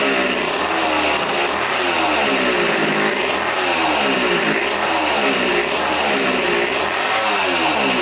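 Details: 1980 Honda CR80 barn-find two-stroke, tank cleaned and fresh gas added: crisp ring-ding revving up and falling back cleanly with each blip. Pulls freely and runs well.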